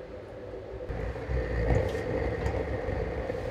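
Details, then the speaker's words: DIY gravity-drip waste-oil burner burning engine and hydraulic oil, valve-regulated slow drip: a deep, steady rumbling roar with a slight flutter and no pops. Normal slow burn, firing hot and even; the vessel normally runs 300–400°C, up to 500°C at max. "I mean you can watch the flames when you can see the interior of your burner it's a slow burn and also the of course the noise that makes"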